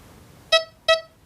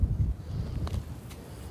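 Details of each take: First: XP metal detector in 3-tone mode over a Victorian copper and a hammered silver coin: two short clean beeps, high tone for the copper and low tone for the silver; normal coin responses, while 2-tone mode gives the same tone. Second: XP metal detector in a field: one short mid-pitched beep cutting off abruptly over outdoor hiss, a choppy broken signal and double beep; a sure sign of an iron target.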